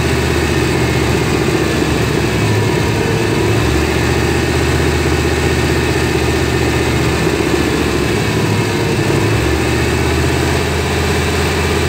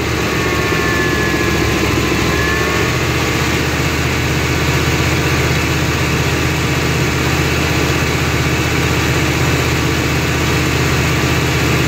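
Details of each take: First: 1993 GMC C1500 5.7 V8 at idle with an O2 sensor stuck rich: the low rumble sags and recovers as the fuel trims pull fuel away and add it back, a surging idle caused by the bad O2 sensor. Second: 1993 GMC C1500 5.7 V8 with O2 sensor unplugged (open loop) after surging, rough idle and cutting out; deep, steady idle with even rhythm, no rise and fall; surge gone, idling better.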